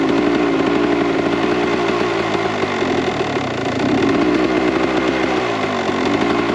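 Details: 1998 Kawasaki KX125 two-stroke on its rebuilt OEM carb with stock jetting, believed to be 42 pilot / 160 main: busy, slightly blubbery crackle with uneven firing that never cleans up, smoky; running too rich, so jets go down to 38/158.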